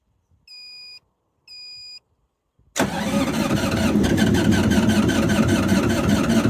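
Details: GreenMech Quad Chip wood chipper diesel at yearly service with battery freshly charged: two chimes, then steady cranking about four beats a second that never catches; no fuel reaching injectors, air in system, injectors later cracked to bleed.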